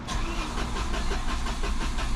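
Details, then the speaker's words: Peugeot 208 (17 plate) after wet timing belt change, cranked on the key with coil packs disconnected to get oil to the top: even starter cranking at about four or five compressions a second, turning over freely without firing. "I'm just going to turn it over on the key. I've got no car packs connected, so it's not going to start. I just want to turn it over on the key."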